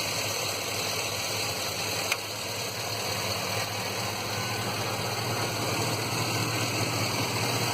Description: P0300 code. Seems to happen mostly at idle but sometimes it hesitates and sputters on acceleration.